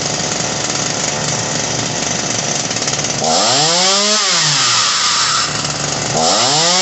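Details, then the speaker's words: Ryobi RY3714 chainsaw, carb likely tampered by customer; screams at high idle, revs sag and rise, stumbling as carb screws turned; bog when idle lowered fixed by slight high-screw turn, low screw counterclockwise to richen; high idle and bog. "oh you see when i got the idle all the way down it bogged a little bit so i went to the high end and turned it just slightly to get rid of the bog a little bit"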